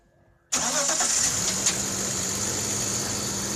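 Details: BMW E39 with M54 petrol engine, cold start at +3°C outside. It settles to a fast idle with a busy metallic rattling or knocking clatter; the owner does not know the cause.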